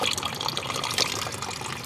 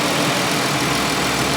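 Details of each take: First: Auction-bought car: steady gushing pour of coolant, engine off but still hot, from a hose completely off its fitting, likely due to a broken bracket. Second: Minivan or Ford Escape just bought at auction, radiator found empty though reservoir has coolant: steady even idle with smooth hum, no knocks or ticks, water splashing as it's poured into the radiator.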